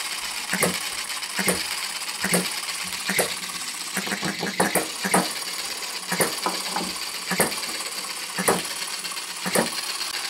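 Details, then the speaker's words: Retrol HM-01 7cc four-stroke horizontal hit-and-miss model engine gives sharp light pops about once a second with quieter clicks between, the governed fire-and-coast rhythm, a little vibration expected; normal hit-and-miss running. "well there it is chugging away little bit of a vibration but you expect that with a hit and miss engine"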